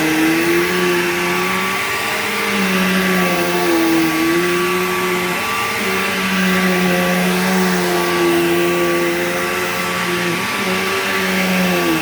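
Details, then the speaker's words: Bissell PowerGlide Platinum 3545-2 upright vacuum, acquired around 2018, running: a steady motor roar with a wavering whine that swells and fades every couple of seconds in a wah. Owner calls it bizarre, cause unknown. "Yeah, that weird, like, whiny, wordy sound that it makes is really bizarre. I don't know why it does that."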